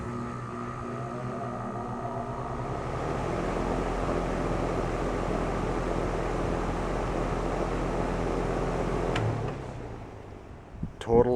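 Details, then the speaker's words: New Rheem RA14 condenser unit after installing a three-pole contactor to isolate the condenser fan motor from the compressor (back EMF caused bumping): fan whooshes steadily over an even low hum, then spins down cleanly; bumping noise gone, normal running. "let me start it up for you I'll show you no more bumping noise the noise has been eliminated"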